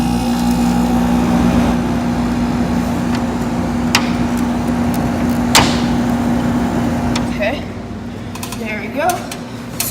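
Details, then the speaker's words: 1986 Friedrich Quietmaster 19,000 BTU window AC, heard from indoors while changing compressor speeds. Steady low hum with an even mechanical drone and no knocking or rattle; normal compressor running. "i'm going to show you what the compressor sounds like in between speeds i did it on the outside but we're going to do it again"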